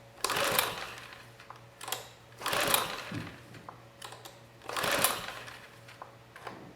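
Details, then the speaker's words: Sportsman GEN2200DFI 1800 W dual-fuel inverter generator (Yamaha MZ80 clone) on propane, after ignition coil replacement, choke on and off: three or four recoil pulls whir and die away with no firing; cranks but no start, cause unknown. "a choke G and we get nothing so we had no signs of life trying to start this on propane"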